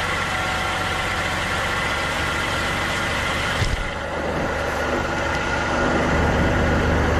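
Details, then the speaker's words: Engine during 3-wire oil pressure sensor test; catches with brief bump then steady even idle, no knocks or ticks; engine sounds fine while gauge barely rose, old sensor found leaking and replaced; normal idle. "now we can see it didn't hardly go up at all which is a bad sign for the sensor because the engine sounds fine"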